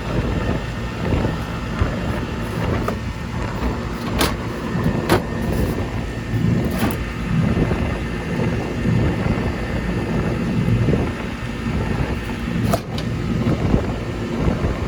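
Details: Goodman gas pack package unit, about 1999, running after a no-cooling repair (failed run capacitor replaced); steady low hum, no clanks or squeals, some wind noise; running normally.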